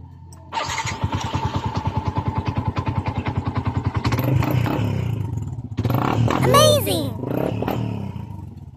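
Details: Yamaha Sniper 155 after a fused wire was run from the relay to the battery main line, following a no-start with no dashboard display: starter catches, the single settles into a quick even putter of about 200 beats a minute, then revs cleanly; healthy start.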